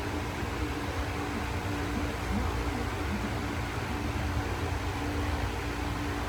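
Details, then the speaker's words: Lasko fan with replacement knob, running on medium speed; steady low hum under the even rush of air, quieter than before. Hum occurs only on medium, not on high or low. Normal motor hum. "it only does it on medium it doesn't do it on high or low but it does on medium"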